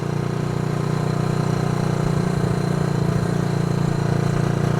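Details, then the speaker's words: Honda CB360 twin, unridden 3 years, weak battery so rpm kept up, riding at the speed limit after shifting through six gears: even, steady exhaust beat, no stumbles, both cylinders firing cleanly; runs really good. "This thing runs good. Runs really good."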